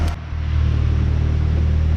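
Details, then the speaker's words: 1994 Honda Accord, 256,000 miles, after throttle body cleaning and idle screw turned fully in: steady, even hum that settles after a brief dip, still right over 1,000 rpm. Idling too high; cause suspected, not confirmed, vacuum leak smoke test next. "Here we go. So the idle is at, looks like right over the 1,000 mark. So I'm gonna go ahead and try to figure out why it's idling too high."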